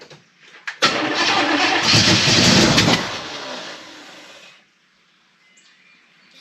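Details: Chevrolet El Camino of unknown engine, bought cheap: starter churning, then a harsh coughing burst that dies away as it pops back through the carburetor; timing is way out and the distributor is moving.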